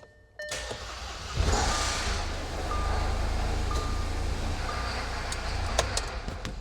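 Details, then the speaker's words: Junkyard supercharged Audi A6 that started unexpectedly: catches, then a loud uneven run with scattered metallic ticks. The owner fears the chain skipped with no oil pressure in the timing tensioners, or that residual fuel pressure ran out. "Okay, there's definitely some noises that I'm not loving. Things started great and then took a turn for the worse. So, I'm kind of scared that because we had no oil pressure in those timing tensioners, they allowed the chain to skip."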